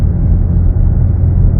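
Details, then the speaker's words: Datsun test drive after differential repair, about 120,000 km estimated: only low steady road rumble, no whine or howl that was previously present; the diff now runs quiet. "Yeah, you can't even hear it. That's how it should be though."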